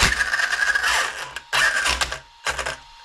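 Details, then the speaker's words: Arrma Kraton 1/8 scale 6S RC truck: short bursts of motor whine with loud, rough rapid clicking from a failing differential; it could be the rear, center or front diff, and it is located by sound. "Hear that clicking? Sounds awful. Yeah, so it sounds really loud."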